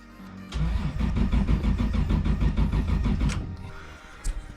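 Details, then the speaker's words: Toyota Supra JZA80 RZ with 2JZ-GTE; quick even cranking about three seconds with no firing; won't start, owner believes it runs rich and suspects fouled spark plugs. "won't start okay so the next step is to find out why the car isn't running I do believe the cars running quite rich"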